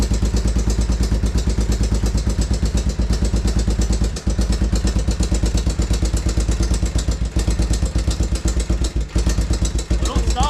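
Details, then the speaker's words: 1987 Honda TRX 350 Foreman after an oil change and carburetor cleaning: heavy, somewhat uneven clattering knock at idle; the screwdriver listening trick places it in the head and piston, not the crankcase. "it's definitely up in the head and the piston and not down in the actual case. Because I can distinctly hear it better."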